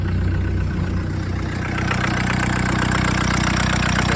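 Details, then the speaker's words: Suzuki Samurai with swapped VW turbo diesel, makeshift exhaust, started once glow plugs warmed and relay light went out; fires right up into even diesel clatter at steady idle, no misfire or hunting; normal idle. "the glow plugs are warmed up there it's out fires right up"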